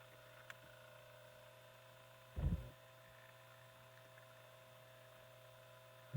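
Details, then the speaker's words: Diehl Junior fan B12AJ16 motor and gearbox just after the gearbox was repacked with grease, starting up with the worm gear pulling grease around; then on low at 117 V drawing 0.82 A (54 W). Steady, quiet hum with a couple of brief bumps, running smooth and even. "you'll notice when it starts turning how it pose the grease around the worm gear there"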